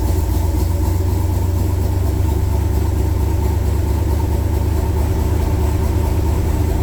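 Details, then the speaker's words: 1966 Chevrolet Corvette Stingray V8, cold start in January at about 11–18°F after 10 dry and 10 cranking pedal pumps: deep steady rumble held at high idle on choke, normal cold-start fast idle. "10 dry pumps 10 cranking pumps it's on high idle"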